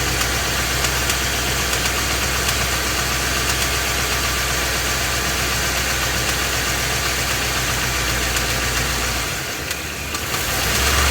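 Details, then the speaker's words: Ford F250 with 7.3 L Godzilla gas engine, phone under the truck, at idle then in gear under load with A/C off: steady knock about four per second over a loud idle; engine knocking, cause still unknown. "you can distinctly hear that it's making a noise and it is making a knocking noise too"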